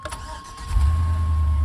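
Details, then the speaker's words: LS-swapped OBS Chevy pickup: brief crank, then the V8 catches at once and settles into a deep, steady rumble; starts right up, healthy. "Starts right up."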